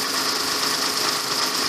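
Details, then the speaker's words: Kia Sorento/Sedona Mitsubishi 3.5 L V6, first start after timing belt and water pump job: smooth constant whirring hum with light hiss, no ticking or rattle; belt tension perfect, normal idle. "I'm now testing it look like everything's holding tight tension's perfect you can hear it sounds like a little baby"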